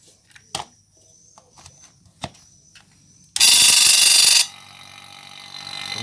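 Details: Vacuum pump switched on to evacuate a Polytron refrigerator after welding a puncture leak; a few clicks, loud rush at switch-on, then even motor hum slowly building; pump starting and running normally.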